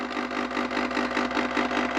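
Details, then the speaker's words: White Rodgers 1311 zone valve, thermostat call for heat from 70 to 80 degrees, valve starting from closed: soft, steady motor whir with light even flutter as the actuator spins toward open; normal operation. "so you hear that the valve is spinning so this valve is in the closed position it's spinning"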